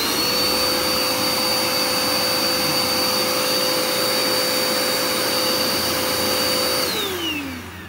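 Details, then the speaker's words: Curbside-found Dirt Devil Endura Max UD70175 vacuum during repair: steady high motor whine over an even brush-roll hum, then spinning down when switched off; brush roll spinning, sounds normal and healthy. "sounds pretty normal brush rolls spinning and everything"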